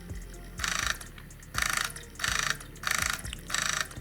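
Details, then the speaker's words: 3DO console disc drive that would not read CDs after about 5 years unused. It now reads the game and cycles but is still noisy, with hissy grinding bursts about once a second, one per laser sled pass. "It does read the game. I'm getting killing time. It's still noisy though. But it is cycling."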